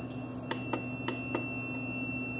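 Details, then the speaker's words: 3 kW inverter with normal output and a 26.5 V battery, so the battery is not the cause: a steady, unbroken high-pitched beep that never stops even with alarm muted, from a faulty shorted alarm buzzer. "So hindi po talaga battery yung dahilan nito kasi naka 26.5 na po yun eh. So aalamin natin guys may output naman siya normal naman yung kwan niya may output siya at saka yung beef lang talaga niya ang problema palaging nagbi-beep."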